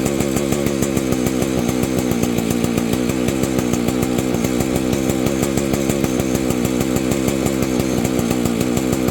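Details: Vintage Husqvarna 285 chainsaw being rebuilt with replacement cases and cylinder: holds a crisp, even two-stroke buzz at steady speed with no stumbles or cut-outs. Owner says it stalls after idling, suspects ignition.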